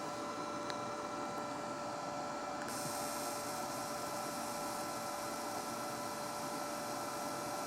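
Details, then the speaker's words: SunSpot prototype cut-wire locator set to watts, about 3 watts output: steady, gentle electrical buzz with a thin high tone, even throughout, making a good spark across the cut. "Now I've got a nice, gentle buzzing coming out of this that sounds like it's making a good spark."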